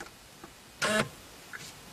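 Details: 2003 Chevrolet Corvette Z06, steering column lock functional test via Tech2 body control module output control: quiet, then one short quarter-second buzzing whirr as the column lock actuator cycles cleanly; normal actuator operation.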